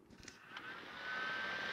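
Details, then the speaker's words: Packard Bell PC after its broken power supply was replaced, power lead connected: after a few handling bumps, a soft airy whoosh builds to a steady, clean whirr with a faint thin tone as the PSU fan spins up. Normal fan running. "that did and as you can see that's howling around quite nice"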